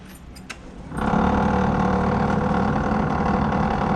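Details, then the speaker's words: Ford XE Falcon after all fuses were replaced: the blower fan motor spins up into a rough, warbling drone with an uneven rattle, sounding like it will blow up; the cause is not pinned down. "The fan is alive, but making some horrible sounds. Sounds like it's going to blow up."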